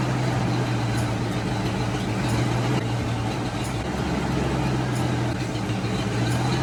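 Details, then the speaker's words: 1990 Ford Mustang V8 Fox Body convertible just started after sitting eight years: heavy steady idle rumble, coarse raspy exhaust, no misses; owner says the exhaust seems loud and needs attention. "yeah it did seem a little loud to me after looking the exhaust needs to be cared for but that's a different time for a different day"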